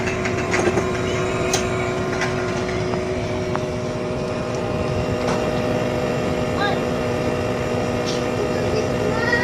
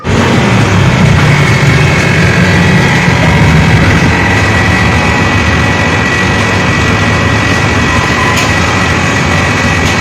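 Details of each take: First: Haier inverter split-type aircon outdoor unit, compressor running after the piping was redone to the standard 3-meter minimum length: smooth, even hum with steady tones and no rattle or knocking; quiet and healthy, the short-cycling noise is gone. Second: Haier inverter split-type aircon outdoor unit, before the fix: loud, rough droning hum with heavy low vibration, steady for ten seconds; compressor is noisy because the copper tubing was shorter than the 3-meter minimum, causing short cycling.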